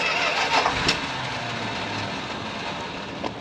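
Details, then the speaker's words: Retired ambulance after a crumbled O-ring was replaced and the drip stopped, doghouse back on: starts after one throttle pump and a short crank, then idles evenly with no ticking or knocking; idles and runs well. "So one pump, and there it is. Fires right up. So sounds good. I'm not hearing any ticking or anything that sounds like I've got any issues with the motor. She idles good, runs good."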